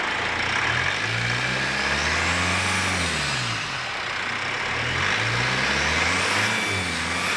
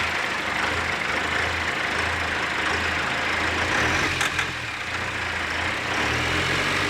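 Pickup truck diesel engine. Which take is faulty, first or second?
second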